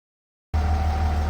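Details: 3rd-gen Ram Cummins diesel at idle, truck runs hot around 210: steady high, even howl over the low diesel idle. Owner first suspected turbo or fan clutch; stethoscope diagnosis found a bad alternator bearing.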